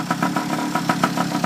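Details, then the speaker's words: 49cc two-stroke pocket bike after replacing a clogged fuel valve and moving the carburetor needle clip to the middle, warm after about two hours of riding: light popping idle about eight beats a second, slightly uneven but steady; it keeps running. "I put everything back and uh my is running now. Uh I just finished driving it,"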